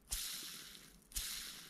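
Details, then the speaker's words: Mountain bike bearing (headset/bottom bracket type), cleaned and serviced: two hand spins, each a soft, even hiss fading over about a second with no grit or clicking; ball race runs freely. "we have a fairly free running uh ball race there"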